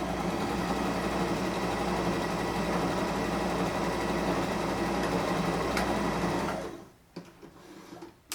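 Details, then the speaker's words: Sewing machine running a quick test seam with a backstitch. A steady, even hum with a regular stitch patter, no clunking; it runs normally and the seam comes out straight. "It didn't sound funny. Sometimes you'll hear clunking or it just won't sound like its normal self, and that means you definitely want to stop."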